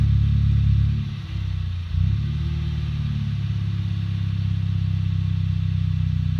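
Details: 2008 Audi A3 1.8 TFSI on a cold start: a lumpy, uneven idle with revs sagging and nearly dying, then recovering to a shaky idle. Replacing the PCV and fitting a K&N intake only partly improved it. Cold start misfire, cause unconfirmed.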